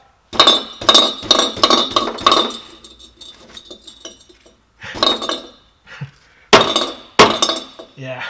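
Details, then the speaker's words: Skoda Fabia catalytic converter shaken from underneath the car: bursts of tinny metallic clinking as loose broken substrate rattles inside the shell; converter broken, suspected of clogging the exhaust. "that thing is broken ah well"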